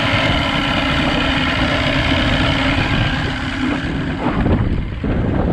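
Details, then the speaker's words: 1982 Glasstream boat with a Chrysler 100hp two-stroke outboard, running again after wiring repairs: a steady idle in gear under heavy wind rush, with no misfire or dropouts. It runs fine. "All right, after monkeying around with all the wiring, I somehow got it going again. We're back in gear."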